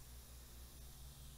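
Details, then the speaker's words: 2017 MacBook Pro 13-inch A1708 after a botched battery replacement: fan stuck at full speed with a steady airy hiss because the trackpad connection is not detected. "so why is it making that noise it's making a noise because it does realize that there is a connection not present there"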